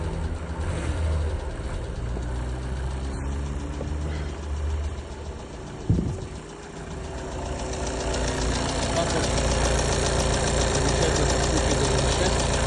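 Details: VW Golf 7 1.6 TDI diesel, 182,000 km: regular low knock at idle, about three or four a second, steady; cause unconfirmed, owner suspects crankshaft bearings, blames high mileage.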